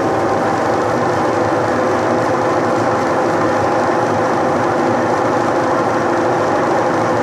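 A steady, even churning run with no surging or stalling; the washer drives normally now that the motor capacitor is good.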